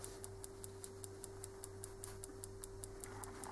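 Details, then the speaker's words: Common-rail injector driven by a homemade bench tester, giving sharp even ticks at about 160 per minute over a low hum; solenoid opening and closing, owner suspects the injector is badly assembled. "bądź razie ja myślę że słychać prawda wyraźnie słychać rzece wycieczka elektromagnesu która jest w tym wtrysku on jest chyba źle złożony w każdym bądź razie to jest jego praca"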